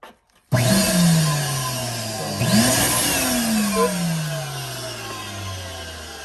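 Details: Beam Smart Classic PU372 central vacuum, motor 6765 (116765-00), after worn carbon brush replacement: motor starts abruptly and settles into an even whirring hum easing down in pitch, no scraping or sparking crackle; runs normally.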